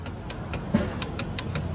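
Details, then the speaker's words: Royal Enfield Bullet that won't self-start, key on and starter pressed: sharp dry clicks about four per second with no cranking, so the starter relay works properly. "Self लेने पर guys चाबी को on करेंगे, जैसे हम self लेते हैं इसका, ये देखिए यहाँ कट कट की आवाज़ आ रही है।"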